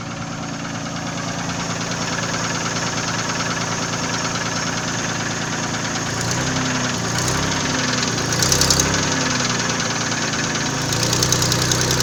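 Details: Nissan VG30E engine at idle: a distinct tapping knock of roughly three and a half beats per second from inside the engine; owner asks what is knocking, source unknown.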